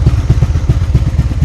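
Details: 1996 Honda Magna 750 after about four years in storage, carb leaking, throttle screw just adjusted: lumpy uneven idle stumbling and popping every few strokes; one cylinder misfiring, which one is unknown. Misfire.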